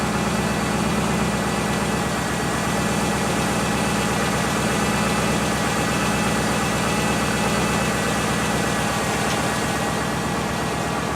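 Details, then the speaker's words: Subaru engine after top-end refresh (head gaskets, timing) with original, unrebuilt bottom end; steady idle with a regular light knock about three a second under the drone; owner suspects early rod knock, plans Lucas oil stabilizer. "But the engine has developed a knock. I did not rebuild the lower end, the bottom end of this engine when I refreshed it."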